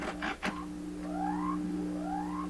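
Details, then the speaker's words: 1928 RCA Victor Model 28V radio tested with a true ground and a signal tracer: a steady low mains hum grows louder than the station under whistling tones, garbling the signal. "Now, see how strong the hum has become now? The hum is stronger than the signal."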